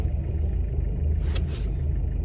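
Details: Mk6 Ford Fiesta 1.6 TDCi at idle after cable-tying a boost hose away from the crash can: smooth, even low diesel rumble with no tinny rattle; the rattle is gone, not fixed by the engine mount replacement.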